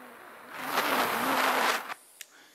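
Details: Cheap AliExpress butane jet/torch lighter: a click, then a steady hard hiss for about a second before it cuts off; the jet flame burns normally.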